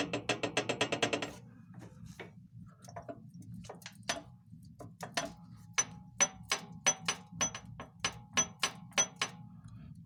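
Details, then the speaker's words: Zubr walk-behind tractor with R195 diesel at idle: steady sharp knocks two or three a second over low idle; owner suspects wear in the gear train, not confirmed; knocking noise. "вашему вниманию мотоблок Зубр. У нас есть стук вала, я так думаю, на шестерні він."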